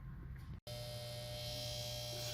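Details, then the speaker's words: Compressor giving a steady low electrical hum with no run-up, trying to start but never starting, as if locking up; technician suspects the capacitor, not confirmed. "compressor is trying to start to work like it's locking up this hit their capacitor"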